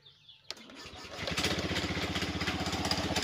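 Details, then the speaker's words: Motorcycle after electrical repair: short crank, then the engine catches and settles to a steady, quick putter; a little noisy from a worn spring due for replacement, noise fades when revved; starts and runs normally. "Ayan, mandar na. Medyo maingay lang siya guys dahil yung spring niya dito is palitin na. Pero ang importante ay umaandar na siya."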